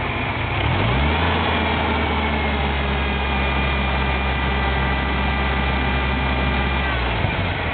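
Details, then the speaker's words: 1997 Ford Ranger with a persistent misfire despite a new MAF, IAC, plugs, wires, coil packs and vacuum lines: revs climb on a blip, then sag and hang unevenly before dropping off, as if trying to die; cause unclear. "See, it's trying to die."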